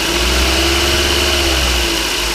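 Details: 2009 Toyota Corolla S 1.8 after water pump replacement, cured of loud roaring from the pump pulley, running during coolant refill: steady even hum with a light whir, no roar or bearing growl.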